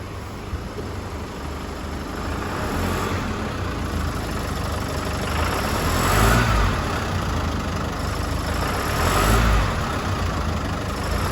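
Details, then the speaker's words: 2016 Chevrolet S10 2.8 diesel, nearly 150,000 km, revved from idle; sewing-machine-like ticking at idle that worsens to harsh whirring with each rev and stops on lift-off, attributed to a faulty high-pressure fuel pump, replacement the fix. "em aceleração e acaba sendo muito agravante mesmo Esse barulho tá esse barulho nada mais é do que é proveniente da bomba de alta pressão localizada bem ali né"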